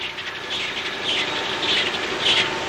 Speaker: that is the sound of a submarine propeller cavitator and it can be detected hundreds or even thousands of miles away